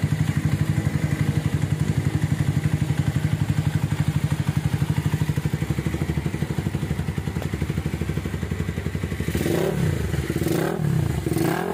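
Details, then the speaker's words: Minerva R150 Xrod single-cylinder at idle after replacing worn-out bearings, the piston and other parts, timing at T, previously noisy with white smoke: soft even firing pulses about four a second with no knock. It is a normal idle. "Video awalnya berasa putih, ini saya diganti, ref diganti, nokonas diganti. Sekarang udah lembut suaranya."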